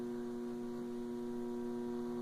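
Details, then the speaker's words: Electrolux LT12 washing machine in wash/agitate position: steady electrical hum at one pitch with no agitation rhythm; motor hums but the agitator does not move. "se pode ver ela está na posição lavar um olho e agitação é uma agitação mas você pode ver que ela não bate"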